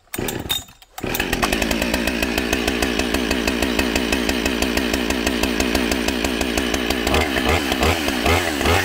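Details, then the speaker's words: Husqvarna 572XP autotune chainsaw just started and warming up, before the autotune procedure: a fast, busy idle instead of a slow burble. The idle speed is too high, so the chain creeps while the saw is still settling its tune. "as you saw at the beginning the saw wasn't happy you could tell the idling was still figuring stuff out and as you saw the chain was moving so basically it was idling at the wrong speed"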